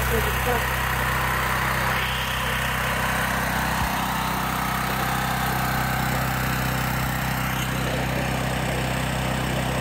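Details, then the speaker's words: Gentron 10,000 W dual-fuel generator (GG10020GL) that would run only on propane, fixed by disconnecting the carburetor fuel solenoid wires: now running on gasoline with a steady, even drone, no misses or knocks. "all right so check it out it's running on gas"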